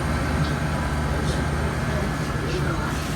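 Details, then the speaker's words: True two-door freezer after condenser coil cleaning and rewiring: compressor starts with a steady low hum, even unbroken drone, no knocks or rattles; amp draw about 11 A and dropping. "all right just plugg it in let's see if it's alive sounds like it's running"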